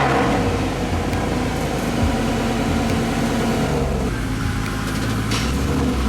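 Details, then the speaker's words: Mercedes SLS AMG driving away after a fluid change that first used the wrong fluid: steady deep engine note, smooth gear changes, no clunks or slipping. Drivetrain normal, feels the same as before, never a hiccup. "It feels the same as it did before the fluid change with the wrong fluid and driving it home with the wrong fluid. It feels exactly the same. It never had a single hiccup."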